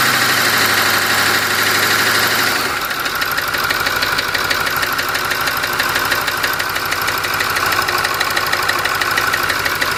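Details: Ford 6.4 diesel at idle: a steady, sharp knock about three times per second rides over the engine. Engine knocking, source not identified.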